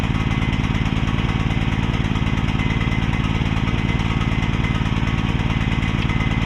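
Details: Repaired mini excavator's small pull-start engine: loud, steady, slightly heavy chugging at fixed speed with the choke left on; running rich.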